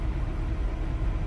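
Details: 2002 BMW 7 Series E65 V8 with misfires on all eight cylinders, CCV valves already replaced: deep uneven, lumpy idle, rougher with individual ignition coils cut; cause suspected, not confirmed.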